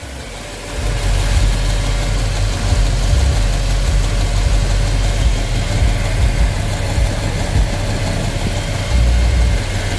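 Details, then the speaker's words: V8 truck at idle after all valves were adjusted: smooth, deep, even idle with the earlier valve tapping gone; the valvetrain sounds quiet and healthy. "now we had adjusted all our valves and it sound like we got a quiet running"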